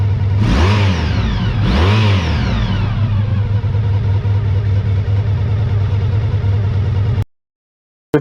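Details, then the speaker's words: 1985 VF1000R after carb cleaning fixed a poor idle from years of sitting, with a final header-temperature check of all four cylinders at idle. Two quick throttle blips drop back to a steady, even low idle with no misfire or hunting. "I'm just checking the head attempts uh again just as a final check that all four cylinders are fueling correctly at idle"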